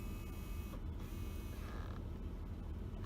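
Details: 2011 Jeep Grand Cherokee, after replacing the passenger-side temperature blend door actuator: brief smooth small-motor whir under low cabin rumble as the actuator moves normally.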